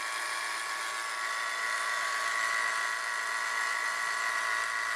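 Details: Saturn at idle: a steady high whirring whine around two kilohertz that seemed to come from the camshaft sprocket but turned out to be a bad idler pulley.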